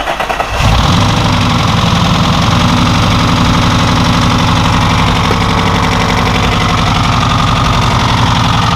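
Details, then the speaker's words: 1966 Mustang restomod project engine, oil checked. It starts and runs with a heavy, rattling, rocks-like knock under the exhaust, definitely from the bottom end; a spun bearing is suspected but unconfirmed. "sounds like a spun a bearing or something I don't know definitely coming from the bottom"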